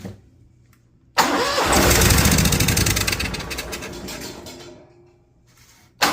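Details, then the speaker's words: Cummins Onan Marquis Gold 5500-watt RV generator, sitting about 20 years, on a nearly dead jump pack: catches with strong even rumble, holds a few seconds, then stalls; owner suspects low voltage from blinking code. "Look at that thing purr like a kitten. Oh, it sucks. So it's blinking a code for us. I believe that's a low voltage code."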